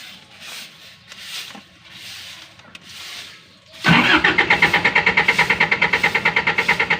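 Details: Generator that won't start: after handling noise, rapid steady pulsing about five or six beats a second; cranks but never catches.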